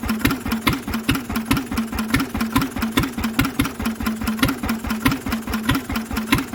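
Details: Lister engine on its first start in 40 years, cooling tank fitted, running on a little choke: slow, even thumping beat about 140 a minute with a steady hum and no big-end knock; mechanically it sounds lovely.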